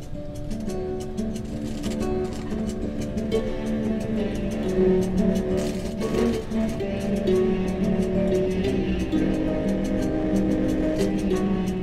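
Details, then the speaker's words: Rotel RX-400a stereo receiver under repair, after replacing one bad transistor: a known test song plays muddy and harshly distorted on both channels; more faults remain. "wow that's bad bad bad bad okay so we definitely have more problems yeah we definitely have more problems than just that one bad transistor we are getting sound out of both channels but is equally horrible on both sides"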